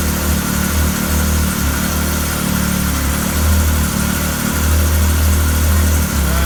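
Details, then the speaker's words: Arctic Cat 7000 snowmobile, Yamaha 1049cc triple, about 12,000 miles, cold start after valve adjustment (previously stalled after 5-6 seconds cold): low, fairly even idle holding about 1500 rpm without hunting or stalling; normal cold idle. "Good sign so far. It would have stalled by now. It's idling at 1500 RPM, right where it should be. Actually, the motor even has a different sound."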